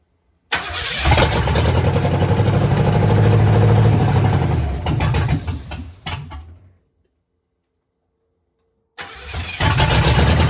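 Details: 1996 squarebody truck after an engine swap, first startup run briefly with no coolant in: engine catches quickly, settles into an even steady idle, then is shut off and restarted cleanly, sounding healthy.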